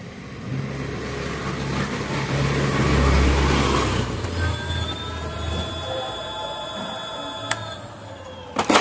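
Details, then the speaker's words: EV scooter hub motor after throttle replacement with a 3-speed-mode, parking-button throttle; run in modes one to three. Low, smooth electric hum rising with throttle and easing off, no grinding or clicking; normal hub motor run. "Throttle on చేసి చూద్దాం. నేను throttle అయితే తిప్పుతున్నాను."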